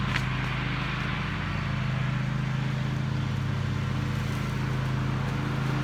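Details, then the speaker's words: Toro TimeCutter MX 4200 twin-cylinder zero-turn mowing grass after replacing both ignition coils for rough running; steady, even drone under cutting load with no misses, though owner wants to double-check a couple things. "i don't like that i'm gonna have to double check a couple things but it runs it cuts running great"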